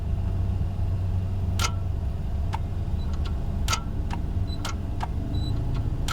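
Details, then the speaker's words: 2022 Hyundai Palisade no-crank on push-button start, starter relay forced on with relay simulator drawing about 30 amps, microphone near starter; low hum with scattered clicks, engine never turns over; starter engages but does not crank, likely bad starter. "on so since I can hear the starter trying to do something by forcing it on with with this tool and seeing the current that 30 amps I know I don't want to leave that dial off very long um because that's going to burn some stuff up and it's kind of actually looking like we've got just a bad starter on this thing H maybe"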